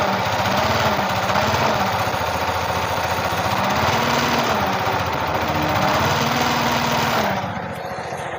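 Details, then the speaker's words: Yamaha R15 V3 at idle: coarse humming, grinding growl under the exhaust beat that sounds like a crankshaft or camshaft bearing but is caused by a shorted stator coil. "ஒரு humming noise ஒரு உரு உருன்னு ஒரு உருமுறை noise ஒன்னு வந்துட்டு இருக்கு."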